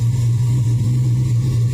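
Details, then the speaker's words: Chevy S10 with LS 383 stroker (620/598 lift cam), warming up after a new ground fixed charging: deep, steady idle with even low rumble, no misses or ticks; running smoothly. "i should let it run man so y'all can hear it when it warms up let me do that it just sounds so good"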